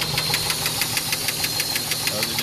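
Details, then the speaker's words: Engine idling during first round of chemical oil-sludge cleaning: sharp, even ticking about six per second over the idle; valve train noise from oil starvation as the oil pump pickup screen clogs with debris, no oil light or overheating. "he knows how it's making that ticking sound that's because again the oil pump is the screen is getting clogged up with debris"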